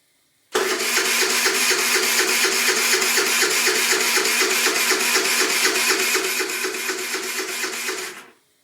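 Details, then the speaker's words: Qlink Axon 50cc scooter, cranking steadily at four turns a second for about eight seconds without firing. Fuel reaches the filter and opening the throttle changes nothing, so a dirty carburetor is suspected. "yeah i think it's carburetor mostly because when i when i open it up i'm not getting any difference in the sound that's kind of why i'm thinking it's a carburetor because i know there's gas getting into that"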